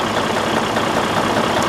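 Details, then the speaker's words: Detroit DD15 diesel idling with fast, even tat-tat-tat tapping like something in a cylinder or connecting rod hitting, no check engine light or codes; a broken cylinder liner is suspected. "I don't know if you can hear that tapping noise that this engine is producing. It's a very unusual sound. It is like something inside a cylinder or a connecting rod is hitting each other."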